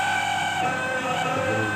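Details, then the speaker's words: Dawlance microwave oven running before repair; steady high whine over the running hum, abnormal sound caused by the cooling fan, whose dry, worn bushings need cleaning and oiling — worn fan motor bushings. "तो चलें स्टार्ट करते हैं कि इसमें फ़ॉल्ट क्या है। तो ये एबनॉर्मल साउंड है"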